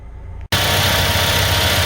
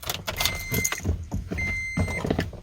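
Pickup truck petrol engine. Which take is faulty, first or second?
second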